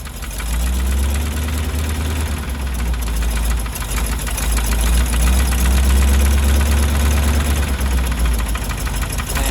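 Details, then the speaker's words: 1977 GMC 6500 truck with 366 big block; firing order possibly wrong: loping, uneven idle stumbling about three times a second; misfire, cause unconfirmed. "man that that's like full throttle but it's not not giving it [Music] something is not working there"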